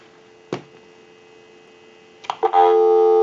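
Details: Verizon single-slot payphone after repair and conversion, line taken straight from switchboard without analyzer; a click and faint hum, a few pops, then a clean, steady dial tone that holds; line working properly.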